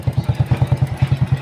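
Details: Honda Supra Fit single-cylinder motorcycle, electric start previously hard but kick start easy: starts immediately on the button and kick, then thumps evenly at about ten beats a second; running normally.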